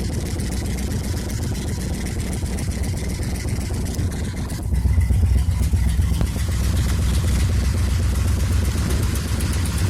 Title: Rusty 76 F100 with exhaust leak